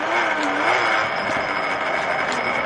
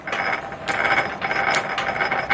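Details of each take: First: M-type treadle lathe turning an old Renault driveshaft: even scraping hiss of the tool in steel with light ticks from the treadle, no chatter; a clean, steady cut. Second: M-type treadle lathe turning an old Renault driveshaft through the back-gear on a 5 thou finishing cut: dry clattering gear chatter in bursts with each treadle stroke over steady cutting hiss; gears to be oiled. Gear meshing noise.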